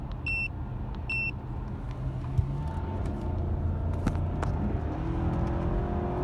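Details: BMW petrol engine with check engine light on, running with a rough, uneven low rumble from a misfire; two short beeps at start.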